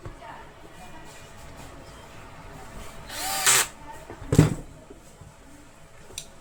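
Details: 24 mm Boray hammer drill, repaired after an intermittent power fault traced to broken wires in the cord; on test two short trigger bursts spin up cleanly to a steady pitch with no cutting out; machine now runs normally.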